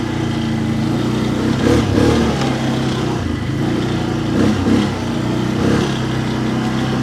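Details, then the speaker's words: 2011 Can-Am Outlander XTP 800, test ride on snow, charging at 14.5 V: engine pulls cleanly through repeated throttle surges, revs rising and falling smoothly without stumbling; far better than before. "today oh that is so much better"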